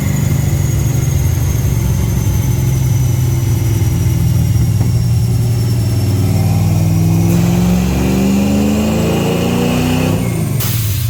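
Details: Holley Sniper EFI car on a dyno during a full-throttle pull, with a strong, even roar climbing smoothly without misses or knocks; it runs well, though it has blow-by, burns some oil and shows tire slip.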